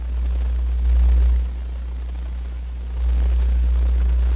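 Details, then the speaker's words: National HRO tube receiver at switch-on, tuned near 12 MHz, before B+ is applied: low steady hum that swells and settles, with no crackle or pops. This is only the tube heaters warming up, which is normal. "all that's happening here is just heating these tubes up, and that's what you hear right now."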